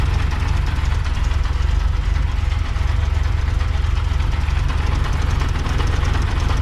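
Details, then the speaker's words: 1970s first-gen Honda Civic with B16A swap, odometer about 75,000 km (accuracy doubtful): loud, deep idle with a rough pulsing rumble; a bearing is suspected on the clutch side, timing tensioner or alternator. "so there's a really bad noise down there it's a bearing of some description it could be on the clutch side could be on the timing tensioner could be on the alternator"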